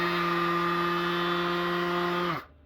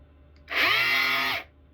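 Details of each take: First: DeWalt palm sander after repair: the pad was taken apart, the tool blown out with an air compressor and reassembled. It now gives a steady, even high-pitched hum and runs smoothly until switched off, where it winds down. It sounds normal and better than before. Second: DeWalt palm sander whose motor has been seized by drywall dust after one job of under 1,200 sq ft, even though it was blown out. The high whir spins up for under a second, sags in pitch and cuts out.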